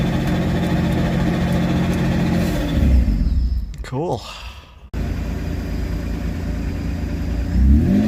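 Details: Supercharged engine on a standalone ECU with no idle control valve, restarted after years standing, owner adjusting idle setting: revs sag and die as they fall, then catch again on restart; engine stalling at idle.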